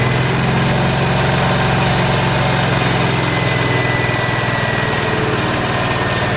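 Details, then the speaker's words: Ransomes MG5 crawler built around 1949-50, with an impulse-started magneto, first start after not running: loud low idle with an uneven, wavering beat of roughly two or three pulses a second; idle needs adjusting, cause not confirmed. "There you have it. Need to fix that idle, I think, so."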